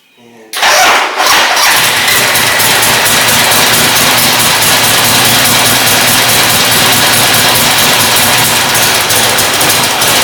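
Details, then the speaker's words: 1971 Harley-Davidson Sportster V-twin, revived after dying, new carburettor and fuel valve fitted; catches within a second of cranking with fuel on, then strong steady run and throttle up, no stumbling or backfires; normal start and idle. "let's start it up need the gas on perfect perfectly can't believe it throttle up"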